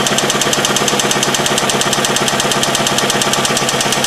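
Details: Toyota engine with variable valve timing (VVT-i) that clanked for five years, with metal filings found in the oil pan: loud, evenly spaced metallic clanking at about three knocks a second over the idle. A severe bottom-end knock, a death rattle; the engine is dead.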